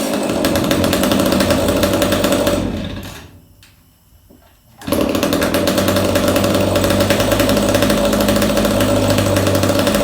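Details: Echo 290 EVL chainsaw just after carburetor cleaning, bar and chain refitted (chain worn out, bar poor): revs strong and steady, drops briefly toward idle, then picks straight back up to a clean high rev; runs pretty good.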